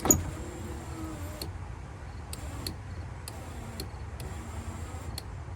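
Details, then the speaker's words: 1994 Cadillac Fleetwood Brougham rear power window: a labored motor drone with clicks and clunks as the glass moves slowly. The battery had run low after long accessory-mode use. "almost sounds like it's struggling huh I don't like the sound of that but it is going up and down"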